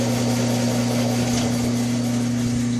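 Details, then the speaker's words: Hardinge TM horizontal mill on rotary phase converter, belt in high at lowest step, 220 RPM, forward: smooth steady low hum, even tone, no knocking or grinding; spindle super quiet, shifts high/low nicely. "can shift from uh high to low very nicely. Everything's super quiet. Very nice."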